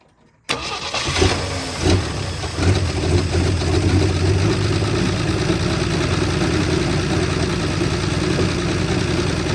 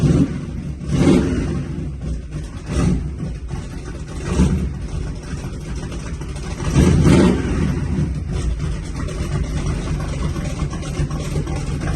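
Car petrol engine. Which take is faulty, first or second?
first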